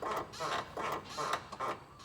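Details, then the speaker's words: 2000 GMC Jimmy SLE, front suspension rocked by hand: six short rubbery squeaks in quick rhythm, minor and acceptable, despite nearly all parts new ACDelco (control arms, shocks, hubs, CV axles, brakes; original torsion bars); separate popping over road seams remains unexplained. "i'm going to rock this so you can hear the squeaking that is fine"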